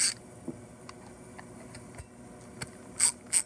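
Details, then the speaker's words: Fairly new Stanley ratchet before cleaning and lubing: sharp, dry, separate clicks a few times a second as the handle swings, a harsh pawl snap from very little to no lubricant. "That's what it sounds like, with very little to no lube in it."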